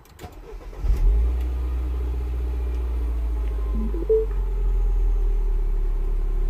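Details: 2009 Mini Cooper S R56, 1.6 turbo petrol, code 2880 high-pressure fuel system faults, still faulty after new parts were fitted. Engine catches into a lumpy, uneven, misfiring idle; it runs better once warm. Cause not yet confirmed.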